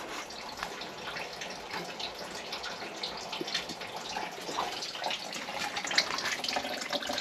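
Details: GE GXSF40H water softener in brine draw mode, venturi cleaned: thin steady hiss of trickling water with no strong rush; weak flow, owner suspects the flow control part, not verified.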